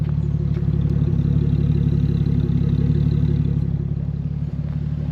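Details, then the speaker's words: 1980 Toyota Celica Supra first-gen with 4M-E six, just delivered, battery was dead: smooth, even low idle with steady beat, no knocks, ticks or misses; runs healthy. "The old 4ME is just purring. She's beat up. She's not perfect."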